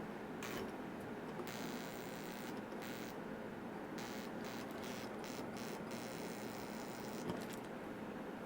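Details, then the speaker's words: Incandescent Christmas light string being tested with a zap box. A faint steady mains buzz with light crackle comes from arcing at a broken wire in one section, and that bulb is warm. Buzzing from a broken wire. "somewhere around here I can actually feel it arcing and hear it so it's right here it's in this section right here so something is wrong between these two and this one's got a broken wire in it"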